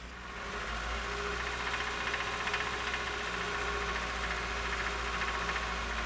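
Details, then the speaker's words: Nissan engine, second demo noise: steady idle with a dull uneven knock about three or four per second, heard best at oil pan and crank pulley, louder warm and with advanced timing, changes on cylinder drop, not with PCV pinched; lower-end knock. "the second noise can really be heard at the oil pan and crank pulley and is more noticeable after the engine's warmed up it gets louder when the timing is Advanced and changes when a cylinder drop test is performed but not when the PCV hoses are pinched"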